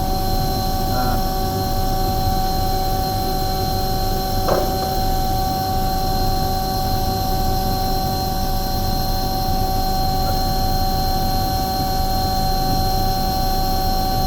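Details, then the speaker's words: Omni/Econo Heat Morrheat waste oil heater burner, set at about 12.5; steady even roar with constant hum, no pulsing or flutter; normal burner operation. "itself is running really nicely in there it doesn't sound like it's flattering"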